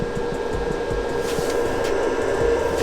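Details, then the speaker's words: 2019 Keystone Cougar 368MBI RV after converter replacement (third time), battery reconnected, reading 13.7 V: steady, light fan whir with an even hum, nothing rubbing or ticking; converter cooling fan running normally. "So the fan must be the thing that's broken on this thing, because you can clearly hear the fan going."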